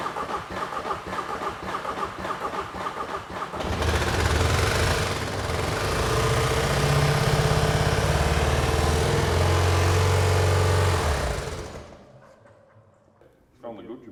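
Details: £100 Seat Ibiza common-rail TDI diesel with piston-ring and engine-block fragments already found under the engine; it cranks, catches, runs harsh and rough for about eight seconds, then dies away. Broken piston.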